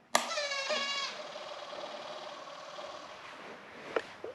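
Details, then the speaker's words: 2021.5 GPX Moto TSE250R dirt bike at key-on: a short buzzing whir for about a second, then a faint hum, as the exhaust power valve servo cycles through its normal startup routine and the dash computer comes on. "the sound it makes the servo this is the computer if you want to see that come on that's off that's on go through a little dance"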